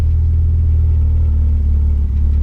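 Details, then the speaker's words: Mazda MX3 with a KL V6 'Big Block' swap, after a high-idle problem was fixed: a deep, steady, even low rumble with no hunting, idling within the 450–650 rpm spec. "Come down to a fairly steady spec, supposed to be anywhere between 450 and 650. I reckon we're right in the middle of that."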